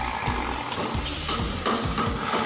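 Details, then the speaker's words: Honda Vario 125 CVT with its rear pulley turned by hand; the gearbox alone turns smoothly. Rough, gritty rumbling with repeated low whooshing sweeps, caused by a worn rear (driven) pulley bearing due for replacement. "Nah, dia keluar kan suara kasarnya. Nah, ini penyebabnya cuma dari laker rochesnya aja ya masku, atau laker puli belakangnya ini udah waktunya penggantian."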